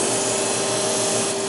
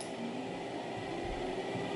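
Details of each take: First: Xerox Alto disk drive during head realignment with a special alignment cartridge: loud, steady hiss and rasp with two fixed whining tones, no rhythm; something scraping on the spinning disk, cause unknown, surfaces look fine. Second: Xerox Alto cartridge disk drive after a head crash, platter hub drilled and reattached with screws: smooth, steady hum with one even tone, no scraping or wobble; disk spins flat, centered and balanced.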